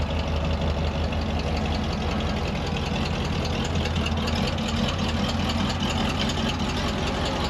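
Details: Ford 302 V8 Econoline van, cold start after replacing bent #5 intake pushrod (suspected stuck valve), dual exhaust. Cold idle with slightly uneven low rumble but no valvetrain clatter; all eight cylinders firing, engine healthy.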